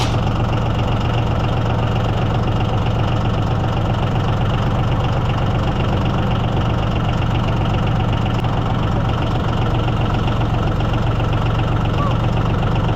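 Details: Yanmar diesel (used to unload a hit-and-miss engine) cold-started at about 48°F without glow plugs or thermal start: clatter settles to a steady low idle just under four pulses a second, no misses; healthy.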